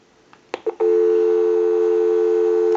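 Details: Repaired PTT rotary desk telephone made in Holland, switched to an outside line with the analyzer bypassed, before dialing a time-and-temperature number. Soft clicks, then a clean, steady low tone for about two seconds: normal dial tone.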